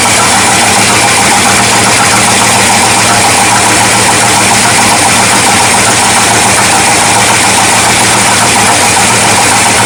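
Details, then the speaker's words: 1979 Ford F-series truck with new Holley carburetor, floats adjusted, choke open: loud uneven stumbling V8 idle under heavy intake hiss, likely carburetor suction; owner suspects ignition timing still off rather than a vacuum leak. "I think timing's still off I don't think that's vacuum late I think that's just a suction from the carburetor actually I am pretty sure we still have timing issues"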